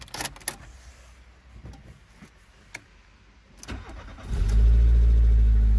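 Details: 1997 VW Golf Mk3 estate Joker Edition: quiet handling noises, brief crank, engine catches at once and settles into a steady, even low idle; some exhaust noise noted; normal engine start.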